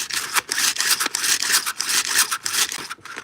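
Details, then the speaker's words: Chainsaw pull-cord start: uneven rasping bursts about every two-thirds of a second with loose play; the rewind spring is fraying and needs replacing. "so definitely a new rewind spring um starting to get frayed up here"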